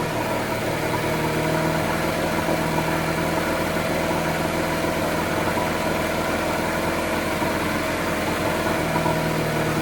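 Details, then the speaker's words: 1980s Honda BF100 four-stroke outboard after carburetor cleaning: steady, even hum with no misses, knocks or hunting, starting on first pull; normal running. "found this thing in the dumpster. And now she pretty much starts on the first pull."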